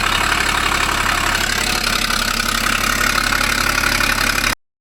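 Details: 2012 Ford Falcon FG XR6 Turbo idling petrol engine with a quick, regular puffing tick, about four per second, from an exhaust leak.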